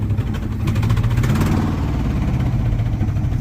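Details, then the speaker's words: 1979 Dodge truck engine, sat over 10 years, first run, alternator charging, finally idling: lumpy galloping idle with regular miss audible in exhaust beat; dead cylinder misfire, replacement engine being rebuilt. "You hear a gallop and a miss. You hear the exhaust, you can hear the miss. It's pretty bad."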